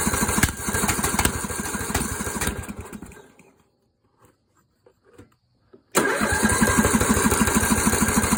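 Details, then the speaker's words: Scrapyard Yard Machines tractor, 14 hp engine, valves adjusted: rough uneven chugging dies, pause, then fires unevenly again; won't start because it broke another flywheel key, cause unclear to owner; later replaced with a homemade steel key. "now it doesn't want to start huh it did it again and broke another flye key"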